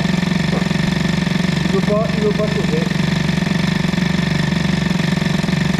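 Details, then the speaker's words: 103 Doppler moped with an UltraBOOST2 cylinder head, hot and held against the rear brake in a warm garage: revs sit heavy and burbly with a soft, uneven four-stroking beat. The two-stroke runs very rich, getting richer as it heats. "ça s'enrichit évidemment il fait de plus en plus chaud bon là dans le box il fait bon donc bon ça devrait être bien mais bon c'est hyper gras"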